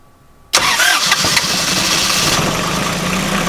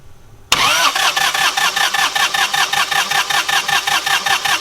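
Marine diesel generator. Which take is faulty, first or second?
second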